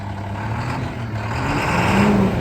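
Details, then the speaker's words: 2012 International Durastar 4400 crane truck, diesel: diesel clatter rises smoothly as revs climb, no knocking, misses or whine; engine pulls cleanly and sounds great. "the engine sound great."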